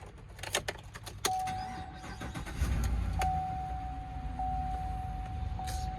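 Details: 2015 GMC Sierra 1500 Denali crew cab, 6.2L V8, 8-speed automatic, 4x4, just serviced; keys jingle, chime, starter catches quickly and settles into a smooth even idle; normal start and idle.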